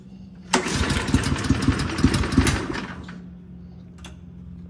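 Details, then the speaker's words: Toro Turfmaster mower, first start after a carburetor replacement, pulled on choke: catches into about two seconds of ragged firing, then fades out and won't keep running. Owner suspects fuel had not yet circulated. Hard starting, won't keep running. "Thought it was going to be the moment of truth. I guess not."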